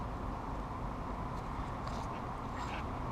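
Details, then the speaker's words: Worn front hub/bearing assembly removed from a 2000 Chevy Cavalier with 150,000 miles, spun by hand: a steady dry, rough grinding rumble with no smooth glide. The bad, dried-out bearing is to be replaced with a new, much smoother one. "Now you probably can't see this, but you might be able to hear it. That's the sound of a bad bearing."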